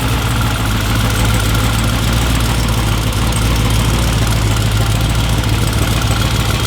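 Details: Corvette C7 V8 on its first start after a twin-turbo install, with some residue still burning off and coolant air bubbles being worked out. A deep, steady, unbroken burble with no misses or knocks; a smooth idle.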